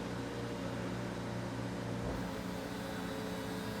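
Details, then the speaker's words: Peugeot 206 CC roof hydraulics after replacing the parcel-shelf (tablette) cylinder, during purge: steady pump drone with jerky uneven hum from air still in the hydraulic circuit, considered normal until purged. "Donc ce bruit, c'est normal parce qu'il y a de l'air dans le circuit."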